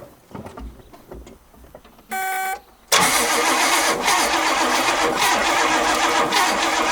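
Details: 1969 Oldsmobile Ninety-Eight convertible, 455 big-block V8, after sitting 26 years: it cranks steadily at about four turns a second but never fires; bench testing showed the ignition coil gives no spark.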